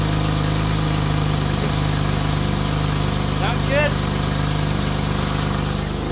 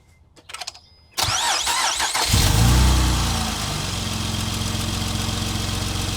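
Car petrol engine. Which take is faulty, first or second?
second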